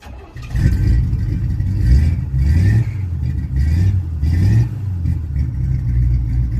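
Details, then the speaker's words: 1967 Chevy C10 V8 started right after fitting a new Wix gas filter, checking for fuel leaks: catches and takes quick throttle blips without stumbling or bogging, no leaks found, and it sounds like it runs a little better. Normal running. "sounds a little better. Alright, y'all are my witnesses. I don't have no leaks. That already sounds like it's running a little bit better."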